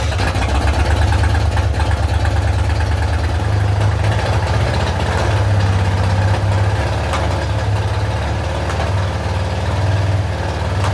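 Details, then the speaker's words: 1966 Mustang on a lift with open exhaust, restarted in neutral after sitting about 5 years; loud steady lumpy idle with deep even exhaust beat, no knocks or misses. Normal idle. "For sitting for probably 5 years, it started up surprisingly easy."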